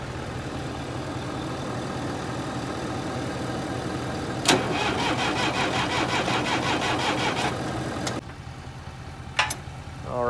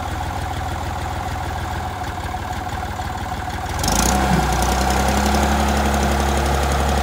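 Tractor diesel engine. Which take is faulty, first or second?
first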